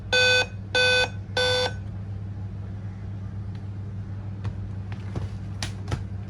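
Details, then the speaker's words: Dell laptop POST error beeps, loud and evenly spaced, indicating a failing CMOS battery; fixed by replacing the CMOS battery. "if D 5 b sound coming that means c mouse battery problem we need to change couse bity"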